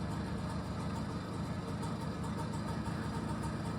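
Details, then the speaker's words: BSA Ariel 3 (K2) moped two-stroke with suspected fuel starvation, after carb cleaning, new fuel line and lined tank, freshly primed: even idle with steady low burble, no misses or surges, warming up. "I'm just leaving her ticking over there to warm up, and I'll go up and down the drive a few times this time, and we'll leave it at that for now."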